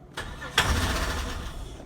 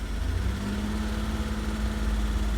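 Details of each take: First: 1998 Holden Commodore VT Berlina, stored five years, new fuel pump fitted, ether sprayed into intake at mass airflow sensor: few cranking bursts with one brief catch that dies at once; fires on ether but won't keep running. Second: 1998 Holden Commodore VT Berlina, 5 years in storage, fuel pump replaced after a no-fuel, fuse-popping no start, first run on its own fuel after ether: a low, steady, even idle with no misses. Normal idle.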